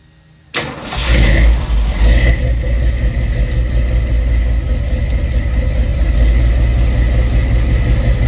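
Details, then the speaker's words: 1975 Ford F-100 V8, 50 years old, during fuel-pressure checks: cranks, catches at once and settles into a smooth, even idle with no stumbling or misses; running smoother than ever. "It's been running for about 10 15 minutes and has not moved at all. But the truck is running smoother than it ever has."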